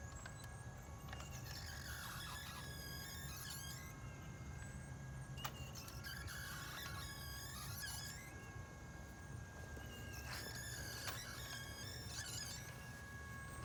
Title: New Champion Wheelie bird 2.0 clay thrower wobbler problems making noise, jerking loose upper rack.